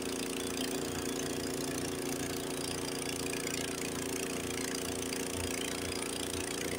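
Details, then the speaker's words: Honda HS80 snowblower, single-cylinder engine with fast throttle set to spec 3600 rpm, in first gear throwing snow at full throttle under load. Runs steady and strong with no bogging, unlike an identical unit set at 3000 rpm. "so that's a 3,000 let's try this one 3600 where it should be we're going to try try first gear it will take a full"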